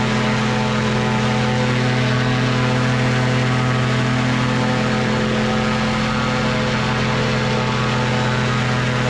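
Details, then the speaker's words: Two-stroke microlight engine with three-bladed prop, run on the ground at high RPM: loud steady drone and propeller roar holding pitch without dips; serious power, held the RPM, normal healthy run. "neighbors will really appreciate a nice bit of of Aviation she's got some power some serious power and she just she she held the RPM"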